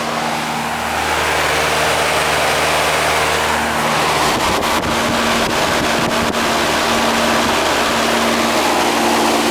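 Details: Trane/General Electric home AC unit, R22, over 50 years old, previously running but not cooling, after repair: compressor and fan in steady even hum with brief clicks, no rattling or labouring; running strong.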